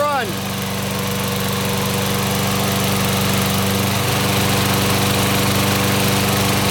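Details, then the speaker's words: Older Toro SR4 Super Recycler mower, oil above the dipstick mark: small engine runs at a steady fast chug with no knocks while still smoking, improving as it runs; oil burning off. "still smoking let's Let It Go it's getting better oh yeah that's better oh yeah oh yeah that's much better these use a lot of oil burning off still but that's oil burning off"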